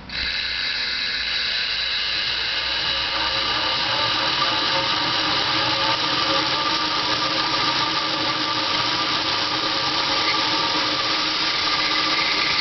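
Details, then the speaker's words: Dodge Daytona EV's NetGain WarP 9 electric motor, car on jack stands, front wheels in the air, camera underneath aimed at the motor: steady spinning whine with rough metallic growl, some squeak; owner says it is worse driving under load, squeak likely winter rust; cause unconfirmed. "all right so basically that growl growling noise it's just kind of hard to tell it actually sounds much worse when the car is driving and it's under load"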